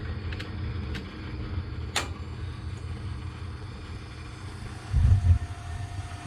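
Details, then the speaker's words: Hot-water gas boiler (baseboard radiators) on autumn pre-season check, first fire after thermostat call, pumps running, damper opening, pilot lighting: low rumble then soft whoomp as burners light and settle evenly, no popping; smooth normal ignition with blue flame. "she goes so weird he was a nice smooth ignition"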